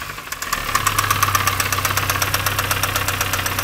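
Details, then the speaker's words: Mini One R50 1.6 16v 90hp petrol under light acceleration: a fast, steady metallic clatter of about four per second over the engine hum, with no smoke. Slack timing chain; the oil-pressure hydraulic tensioner is believed dead. "du coup ça serait la pour nous la chaîne est détendue même pour lui euh la chaîne le tendeur de chaîne qui ne fait plus son travail qui doit être mort"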